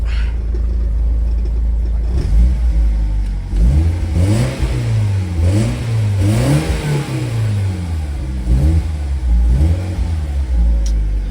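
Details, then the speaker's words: BMW E36, warm engine with one intake piece missing, owner notes it runs hot and suspects a cooling fault: several clean revs rising and falling smoothly with no knocks or misses; engine sounds healthy. "That sounds good though. I think it's warm. I'll give you guys a couple of good revs."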